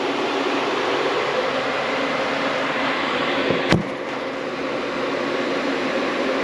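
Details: 1995 CD5 Accord with H22 swap, tucked radiator and homemade fan shroud, fan run by shorting its connector: steady rushing airflow hum at even pitch, one brief handling knock; fan spins freely and runs cleanly.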